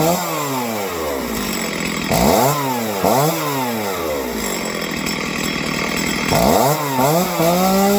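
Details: Stihl chainsaw after carb tuning for a low-end idle fault: blipped up and down repeatedly, revving cleanly and dropping straight back to a steady idle; tuned and healthy.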